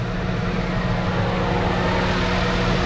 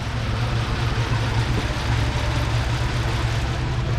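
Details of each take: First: 2009 Lincoln MKZ after a misfire repair, codes cleared: smooth, even idle hum with a steady low drone and no skips, all six cylinders firing properly; normal idle. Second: 2009 Lincoln MKZ AWD, believed 3.7 L non-turbo, codes P0201 and P0204 (injector circuits 1 and 4) with misfire; power balance test flags cylinders 1 and 4: low, heavy, lumpy idle, cylinder dropping out; injector suspected, not confirmed.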